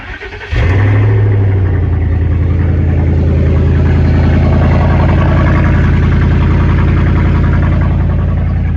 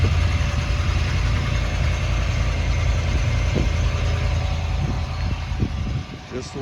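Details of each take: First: 2011 vehicle, started at idle with the muffler removed during an exhaust repair: the engine catches and settles into a loud, deep, blatting idle with a raw pulsing drone from the open exhaust. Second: 2011 vehicle started after an exhaust repair, with the exhaust back in place but one band clamp still missing at the resonator. A low, steady, even idle with a soft exhaust note and no ticks, rattles or leaks: quiet and healthy.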